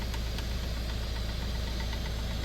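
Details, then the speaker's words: 3D printer printing ham radio X6100 protection rails: a low mechanical drone with sharp, irregular knocks. This is a recurring noise that returned after earlier play was tightened; the printer has had layer shifts before. "originally there was some play in here and they tightened it up but now I hear it again"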